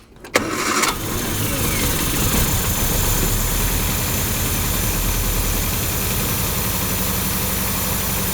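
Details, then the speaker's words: 1955 Hudson Metropolitan barn find, first start after 28 years sitting, new coil just fitted: short crank, then it catches and holds a rough, uneven idle for several seconds on starting fluid poured in the carb; not getting fuel, timing seems roughly right. "okay so from this we're going to know that uh we're going to know that it's not getting fuel right because uh look at it that just ran it was rolling over like it actually wherever the timing's at right now is probably pretty good"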